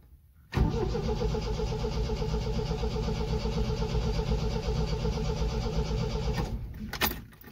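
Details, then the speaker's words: 1974 MGB GT, first start attempt after 7–8 months sitting, fuel pump primed, coil on: starter cranks steadily about six seconds but never fires; earlier petrol leak at the pump, owner unsure whether more choke would flood it. "Why are you not firing? As I said, she's a temperamental mistress."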